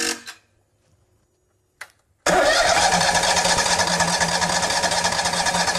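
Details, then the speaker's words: Miller welder Kohler EFI engine after fitting replacement fuel pump for a faulty pump flooding the throttle body: steady churning crank that never catches; new pump was empty and still filling with gas. "this was empty so this needs to fill up with gas and I think it may be full now so let's try it"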